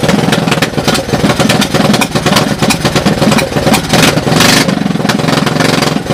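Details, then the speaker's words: 1982 Honda ATC200 three-wheeler fitted by a previous owner with a Honda ATC 185cc engine, running on a portable CDI: small single starts and runs with quick popping exhaust, slight valve clatter and occasional blips; running fine. "So anyway, that's what it sounds like. Running under its own power. Well, under its own power with the portable CDI on it, right?"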